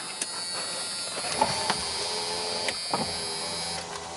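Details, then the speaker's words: Mercedes W123 250 limousine, euro model: power window motor whines with irregular clicks and bumps, the window hopping; another window does not work, owner unsure whether switch or motor is at fault. "that one hops a little bit this one does not work seems like a switch or motor I don't know"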